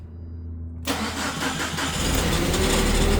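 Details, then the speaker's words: 2008 Mitsubishi Caterpillar 5000 lb dual-fuel forklift running on gasoline, pre-delivery inspection: engine catches at once and settles to a mid idle, with a short extra starter whirr spinning on just after firing; starter overrun after start. "Sounds like the starter spins a little bit um after the start, but still turns on perfectly"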